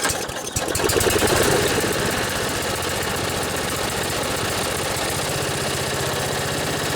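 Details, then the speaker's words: Briggs and Stratton riding mower started after an overnight battery charge, settling into a smooth, even idle with no misses or knocks; purrs, though owner says the upper-end RPM could use adjustment. "Briggs just purrs like a kitten. Could use a little work on the upper end RPMs, an adjustment."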